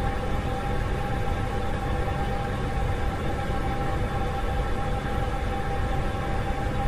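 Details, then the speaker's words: Hydronic heating system: a constant low rushing, humming hiss with a faint steady tone, like a neighbour running a sink behind the wall; flow noise at the thermostatic valve seat from water flowing too fast. "Tento zvuk je v podstatě takový zvuk, jako když soused bytě za vámi za zdí pustí vodu v umyvadle. Tak zhruba bych to asi přirovnal takový hučící, šumějící zvuk."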